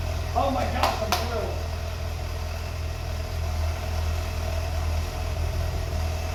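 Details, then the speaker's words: 1982 BMW 320i at idle after reinstalling tanks and fuel pumps, cleaning injectors and taping vacuum lines: steady, even low rumble with no misses or stumbles under faint outdoor noise; idling smoothly. "so I've had it running twice before but this is the first time it's ran this nicely"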